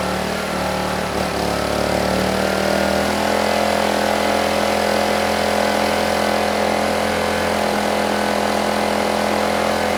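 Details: Honeywell HW2000i 2000 W inverter generator (2002 engine), hard-starting but running well: steady even drone with constant hum under a 1500 W load, no hunting or surging; frequency and voltage rock solid.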